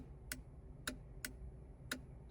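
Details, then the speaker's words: Jeep TJ with LED tail lights (Trail Tails) using aftermarket LED flasher relay D0310, then replacement D0124: sharp relay clicks at uneven half-second gaps in a quiet cab, phantom ticks continuing after the turn signal cancels, also on hazards. "Whereas the first one is trying to make me a liar right now, and it's only given a couple phantom ticks. This one here will give me half a dozen."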